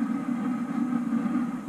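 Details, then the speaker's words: Homemade waste oil heater ver 3.0 burning vegetable oil after a large fuel dump, temperature climbing quickly from 730 to 890 degrees; a deep, steady high-fire roar with low rumble and slight flutter, no popping or sputter; normal clean hard burn. "all right I just dumped quite a bit of fuel listen to that so let's see what's happenin to temperatures"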